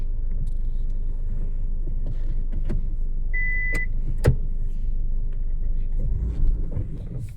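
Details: Steady low humming drone under road rumble while driving, with a faint cricket-like chirping on top; humming noise of unclear cause.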